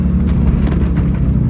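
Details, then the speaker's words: 1994 Acura Integra cruising at about 60 mph on the highway, phone held toward the rear: steady low drone under road noise with no vibration; worn rear hub assembly wheel bearing humming. "With this hub assembly and wheel bearing, you're just gonna hear it hum. That's all it's gonna do."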